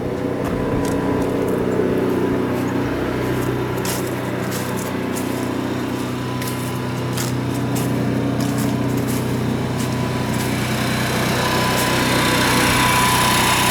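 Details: Class C motorhome generator after fixing hard-starting, apparently by replacing an oil switch: steady, even drone at one pitch, no misses or surging; normal running.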